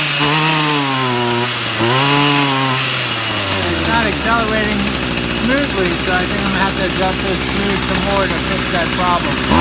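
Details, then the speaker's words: Stihl FS 55 RC two-stroke trimmer after carburetor replacement and high/low speed adjustment idles steadily, then revs up cleanly and holds a smooth high buzz; normal idle and acceleration. "you know the engine sounds good and it's idling good and it accelerates"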